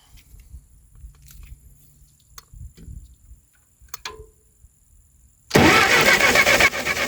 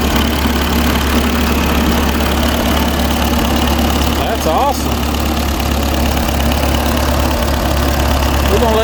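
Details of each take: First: Ferguson TO20 tractor sitting three to five years, fuel on, no choke: quiet lead-in then loud rapid cranking near four beats a second that never runs; crank no start with faint spark, condenser to be replaced next. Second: Ferguson TO20 tractor sat for years: engine ticks over at a steady, even idle with no misses or knocks, rain and background noise over it; normal idle.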